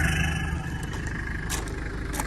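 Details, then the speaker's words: 1996 Mitsubishi Delica L400 Chamonix, 4M40 2.8 L intercooled turbo diesel, automatic, 107,231 miles, cold start: steady quiet diesel idle with faint even high whistle of the new turbo, no clatter, knock or smoke; healthy turbo whine at idle. "It's a cold start, no issues, and no smoke. Let's see, it runs real quiet, real nice. Like you hear that new turbo whining. Sounds good."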